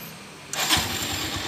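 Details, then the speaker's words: Honda Tiger Revo (Tirev) 2012, stock, long unused, odometer said to be low. Engine already warm, no choke. A brief starter whir, then it catches within half a second and runs evenly; normal start. "ini ndak usah saya chock karena tadi sudah saya panas sih jadi mesin ini Sudah anget tinggal kita starter ya oke langsung kita starter"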